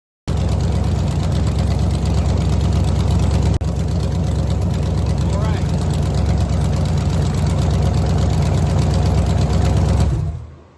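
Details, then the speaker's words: 363 engine on an engine test stand before fitting to a Factory Five build, choke getting 12 V, run about half an hour at 1500–2000 rpm. It catches immediately, settles into a deep, even rumble with no knocks or misses, then winds down cleanly; healthy. "Okay, so that was like half an hour of engine runtime. Generally in the 1500 to 2000 RPM range, a little higher now and then and a little lower now and then. Some idling. Things are looking good. I don't see anything wrong."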